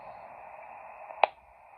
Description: Discovery TX500 has loud click noise when I sweep the HAM band.